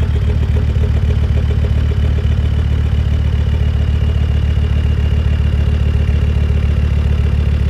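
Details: Land Rover Discovery 2 Td5 diesel below operating temperature: idle chugs with an uneven lumpy beat near 220 per minute, easing as it warms; owner suspects ECU-controlled misfire, fuel cut or cold-engine protection.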